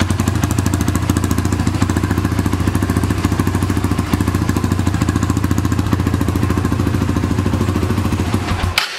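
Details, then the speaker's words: 2006 Honda TRX300EX quad, cold, runs a steady, even single-cylinder thump at fast idle with no knocks or misses before shutting off, after exhaust stud repair and starter one-way bearing work; sounds good. "Whoa, guess she's a little cold. Sounds good."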